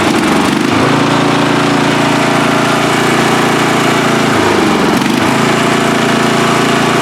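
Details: Free riding mower, engine test after gas tank was drained and fuel added; it was flooding and backfire was feared before starting. Steady engine drone with a couple of brief speed dips that recover at once: normal running overall.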